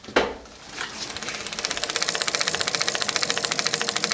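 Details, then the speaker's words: KHS mountain bike rear disc brake: quick even pop-pop-pop about eight per second as the wheel spins, the bent rotor's cooling holes rubbing the brake pad. "Every time you hear that pop pop pop, that's just one of the little cooling holes or whatever rubbing up against the brake pad. So, this one's already way off."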